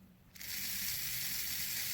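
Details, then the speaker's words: Motor of an old Lima/Hornby model railway diesel shunter, removed from the chassis and powered directly by crocodile clips from an old Hornby controller. A thin, high, steady whir that runs slowly then faster, in both directions; the motor works normally. "I've just stuck those 2 crocodile clips from the quick tester I rigged up straight onto the motor, and as you can hear, it's running. It's running pretty slowly at the moment, so that's a good sign."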